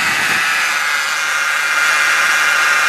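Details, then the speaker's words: 1993 Buick LeSabre running about a minute after start, warming up, car moves fine when cold: steady high-pitched whine from underneath over a hushed engine; whine underneath when warm, source unknown. "And you can hear it, the noise it makes when it warms up. It's only been a minute since I fired it up, and you can already hear it whine down there."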